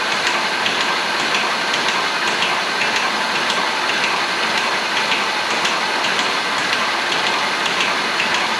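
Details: Engine first spun over, cranked to cycle oil: a light rhythmic metallic rattle about twice a second that stops once oil pressure fills the new timing chain tensioner, which had air trapped in it; timing chain rattle from an unprimed tensioner.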